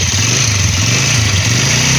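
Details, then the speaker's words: 100cc motorcycle, clutch pressed repeatedly after bearing replacement: steady, even idle with a smooth low beat and no rattle or grinding; the earlier noise on clutch press is gone. "ये दोस्तों बिल्कुल आवाज इसकी perfect हो गई है बंद कर दो यह दोस्तों हमारे इंजन की बिल्कुल आवाज स्मूथ हो चुकी है"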